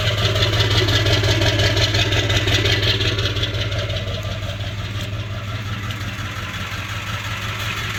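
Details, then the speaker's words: 1999 Ford Powerstroke diesel with the check engine light on and a blinking overdrive light: heavy idle with a rhythmic lope and a dip in loudness, dying unless the gas is pumped, plus a burning smell; ICP sensor and fuel filter already replaced, tank full; cause undetermined. "I had to pump the gas to keep it running. It would die out."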